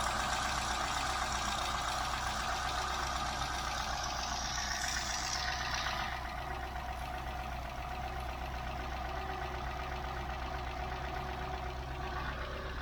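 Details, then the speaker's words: Mk3 Ford Cortina 2000 GXL petrol engine idling, heard close to the valve: fast even light rattle about four per second from a chattering brake servo non-return valve, easily mistaken for something loose. "and if you didn't know difficult to diagnose you just think I've definitely got something loose here so stepping out of the car then and we'll go close up to the valve itself"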